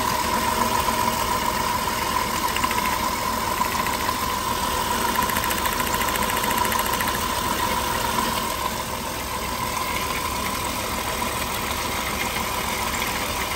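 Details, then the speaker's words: Engine with check-engine light on, idling with a misfire on cylinder 4 after spark plugs and wires were found new: uneven, stumbling idle with a loose irregular beat under steady ignition ticking; the faulty ignition coil for that cylinder is identified as the cause. "pero ya detectamos que es la la bobina aquí mira tiene esta bobina es para este cilindro y para el otro cilindro vienen individuales"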